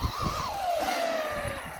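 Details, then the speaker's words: Traxxas Rustler 4x4 VXL RC car just fitted with the Traxxas 6780 center diff upgrade, driving past: high whine rising and falling with the motor, clean with no grinding; new gear noise, different from before but normal. "hear that that sounds so you can hear the noise of the gears"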